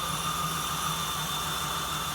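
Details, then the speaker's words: 1979 Jeep CJ-5 engine, first start after sitting 29 years: smooth low idle with no valvetrain ticking, over a loud airy vacuum-leak hiss. "No ticking. I don't even hear any ticking."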